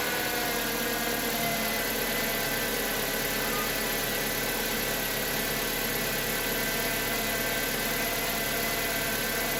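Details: Chevrolet Aveo F14D4 engine cold start after sitting overnight, following replacement of the oil pressure relief valve feeding the cam phasers to cure a brief start-up knock: smooth, even idle, no phaser rattle.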